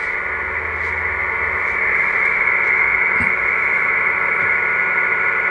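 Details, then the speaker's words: Kenwood TS-450S receiver output: a steady hiss carrying a low tone that fades when the RF board is pressed down, suggesting loose RF board screws or grounding; cause suspected, not confirmed. "you can hear the speaker the noise watch the amplitude watch the tone when I squeeze down this board the RF board"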